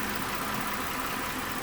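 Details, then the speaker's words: 2012 Mazda 6 3.7 liter, after fan module replacement (fan previously ran high and erratic even cold, stayed on after key off), running 4-5 minutes: steady even airflow at moderate speed, no surge to high speed; normal cooling fan operation. "Fired it up, and the fan seems to be not running up in the high speeds, not doing anything crazy."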